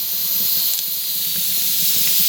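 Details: Afghan kazan (pressure cauldron) being prepared for first use with oil and onion inside: steady, even hiss of steam venting through a pressure valve, no sputter or whistle changes; valve working normally.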